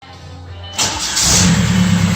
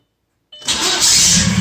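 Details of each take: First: Starter replaced on a 2004 Audi allroad swapped to a 2.0 TDI BHW PD diesel from a 2005 Passat; short clean crank on a new flywheel, catches at once and runs evenly, no grinding; normal starter engagement despite spacer fit doubts. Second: 2004 Audi allroad swapped to a 2.0 TDI BHW PD engine from a 2005 Passat, with a new starter and an aftermarket, possibly oversized flywheel: a harsh metallic whirr at cranking before the diesel starts. The starter meshes too tightly against the flywheel; fixed by loosening its bolts slightly.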